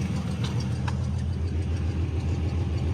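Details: Car revived after sitting about 17 years, running without radiator on squirted fuel, 40-42 psi oil pressure: low steady idle, even rhythm, no knocks or misses; normal idle.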